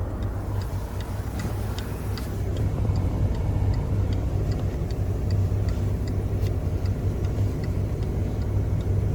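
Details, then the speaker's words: 2008 Chevy Malibu LS idling: steady soft turn-signal ticks about twice a second from the car's speaker over a low engine rumble; normal. "So that comes from the speaker."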